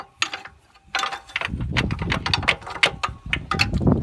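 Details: Holden VT Commodore: uneven clattering clicks and gear grinding while the engine never catches; owners hit the starter with a hammer trying to free it. Faulty starter motor.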